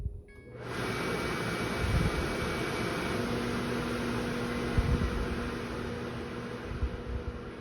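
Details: New KitchenAid KMHC319LSS00 microwave hood (made September 2023), uninstalled, six-speed vent fan at reduced speed (worst at 3 to 5): a steady fan rush with a loud, low droning hum underneath. The hum comes from the rear fan motor, cause unclear.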